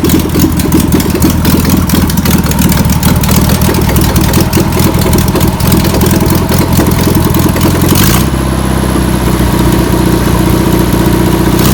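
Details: VW pressed-bumper-panel bus air-cooled flat-four, sitting over 50 years, catches after penetrating spray and fuel are added. Runs steadily with an even beat, then drops to a lower idle; untuned. Owner suspects a bad fuel pump. Deemed a runner.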